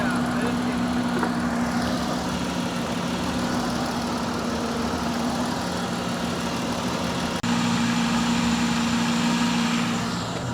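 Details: RV engine idling, alternator only producing about 9 amps: steady mid-pitched whine over the idle, constant; points to noisy alternator, possibly worn bearing; belt aligned and not frayed.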